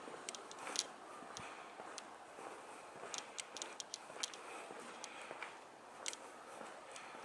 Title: SONY NEX-5N terrible clicking sound.